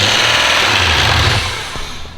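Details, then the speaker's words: Turbo BMW E36 wagon, first start after the build, ethanol tune with fuel pulled back, fuel pressure near 60 psi: it starts sounding like about 3,000 rpm with a fast, loud clatter from unbled hydraulic lifters, easing as revs fall, rod-knock-like. "Okay, so here's the thing, right? The lifters are not bled, so it's gonna make a lot of that noise."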